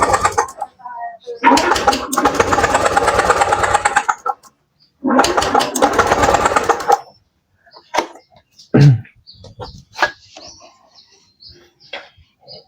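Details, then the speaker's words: Stalled fuel-injected Honda Beat scooter during the injector check: two long bursts of starter whirring with cranking chuffs, no start; the injector is spraying weakly, cause either the ECU or the injector, before cleaning. "ini injektornya kurang, Teman-teman. Jadi, injektornya itu kurang nyembur, ya. Kurang nyembur. Entah dari rotak atau dari injektor."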